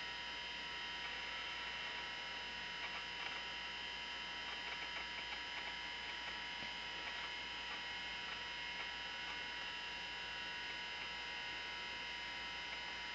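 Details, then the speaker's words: Macintosh 512k with 1985 GCC HyperDrive internal 10MB ST506-compatible hard disk, after power-on and boot: steady high-pitched whine, light hiss and faint seek ticking from the drive, not a fan; normal hard drive running noise. "you can see there's a there's a fair bit of noise this noise you're hearing now is not coming from a fan this is coming from this hard drive here which is an st506 compati"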